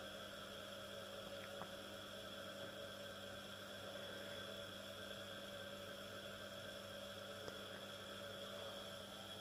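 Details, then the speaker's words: First small 230 V single-phase induction motor, unloaded, on a homemade variac at about 110–150 V: low even hum with steady tone, no rubbing or grinding, slightly louder than at 55 V but quiet, running normally. "so the motor is a little bit louder but not like anything in regards to those fans that I was testing in the previous video"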